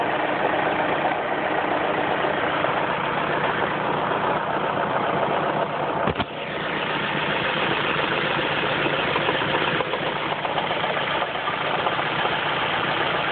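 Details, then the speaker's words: Ford Focus at idle: rough idle with a light intermittent tapping that comes and goes over the engine hum, seemingly from the top end; cause not pinned down; intermittent engine knock at idle. "Sounds like it's coming from the top end, and it's certainly top end speed."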